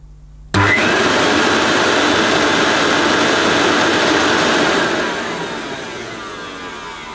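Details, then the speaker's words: New-in-box Hoover S2095 Quick Broom II mains stick vacuum, US import run through a voltage converter, cable had sticky residue: motor whirs up, holds a steady hum, then turns coarse on wind-down; unsure if normal. "Well, that sounds a little bit poorly on wind down, doesn't it? But that might be how it's supposed to sound."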